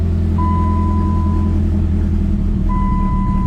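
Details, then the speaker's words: Turbo Chrysler PT Cruiser bought as a parts car, rough history: cold start to a steady low drone at idle with a faint intermittent tone above it, no smoke, knocks or ticks; it sounds healthy. "Now, that was a cold start. So, not quite sure where the exhaust pipe comes out, but we got no smoke. So, the way this thing sounds sounds like it should run pretty good."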